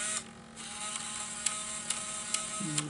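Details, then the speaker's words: Bose Wave Music System multi-disc CD changer on power-up: faint mechanical buzz with sharp clicks about every half second, then low buzzing hum; lights flash, disc error, won't take CDs; changer mechanism fault. "Right, so what will happen is that when you turn it on, it will go buzzing noises like, let me try it on again, like that. It'll make noises."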